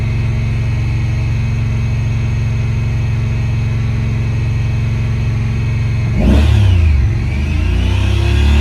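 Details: 2017 Honda Pioneer 1000-5 at 1200 miles with check engine code 9-2. Idle sits fast with a low, slightly lumpy drone, then flares up on its own. Cause was factory over-crimped IACV plug wires broken inside the insulation; plug replaced and recrimped.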